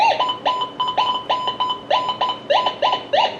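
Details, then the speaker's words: Minelab Gold Monster 1000 metal detector tested indoors: about a dozen short rising chirps in under four seconds as the coil is swept over an aluminum pull tab; target tone for an aluminum pull tab. "You're probably not going to go that fast, but that's an aluminum pull tab. And more than likely you wouldn't dig that."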